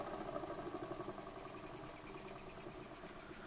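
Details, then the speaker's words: Burnac Vulcan model steam engine running slowly under steam, with the valve adjusting pressure to the piston: soft, even chuffing about three beats a second, very quiet, no knocks. "pressure that gets to the piston which is quite useful so you can actually run it quite slowly and as you can hear it's very silent"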